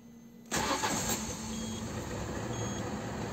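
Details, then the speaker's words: Peugeot 206 CC running on E85 ethanol, restarted while still hot after a good cold start: engine catches at once on the first turn and settles into a steady, even idle with no stumble; normal hot start. "pourtant elle est encore chaude et elle démarre au quart de tour"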